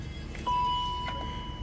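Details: Range Rover L322, 4.4 V8 BMW M62 engine, 104,000 on the clock, after battery charged and reconnected: single bell-like chime over quiet engine hum; transfer box neutral warning, no drive.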